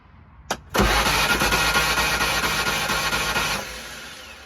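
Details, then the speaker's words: 2018 or 2019 Kawasaki Mule Pro (Chery SQR372 engine) with broken timing belt: fast light cranking about three seconds with no compression load and no firing; cranks but no start. "it has a broken timing belt uh going to go ahead and crank it so you can hear what that sounds"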